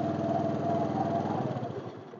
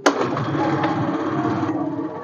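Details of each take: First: 2014 Honda Scoopy FI that stutters and drains its battery: runs evenly on a jumper battery, then dies within about two seconds when one battery terminal is pulled. There is no charging because of a broken stator wire. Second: Honda Scoopy FI that stumbled, nearly stalled and drained its battery from an electrical supply fault, started without a battery after repair: kick start catches at once and settles into an even, steady idle without misfire; normal start and idle.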